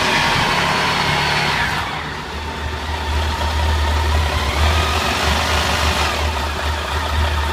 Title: Bruit moteur PAN